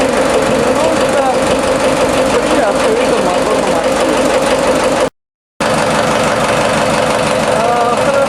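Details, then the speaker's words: New TDME-490 58 hp marine diesel with 3:1 hydraulic reducer in a motorboat, heard with floor hatches and bridge door open, hose exhaust: dense, even idle clatter at steady pitch; engine idles cleanly and runs healthy. "Общий вид катера и шум двигателя при открытых паёлах и открытой двери на мостике."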